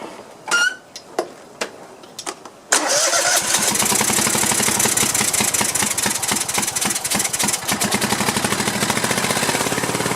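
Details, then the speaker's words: Cub Cadet LT1050 lawn tractor, Kohler 25–26 hp twin, burning oil and running rough, run on one cylinder with other plug wire off; starts after a few cranks into a quick, fairly even beat: that cylinder fires normally. "like [Music] and that side actually sounded okay didn't it see what that side sounds like"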